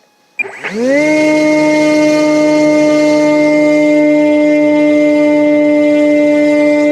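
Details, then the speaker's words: BMFA 'A' test fixed-wing model, pre-flight check repeating control surface tests at full throttle: motor spools up within a second to a clean, steady high whine that holds even; healthy. "What I'm then going to do is repeat all of that, but at full throttle."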